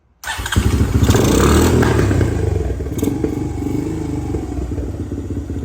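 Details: 2017 Honda TRX250X ATV, believed model year, bought thrashed: single catches on light thumb throttle with choke used, then slows and sags toward stalling with backfire when released; won't hold idle. Owner suspects carb, jets or valve clearance.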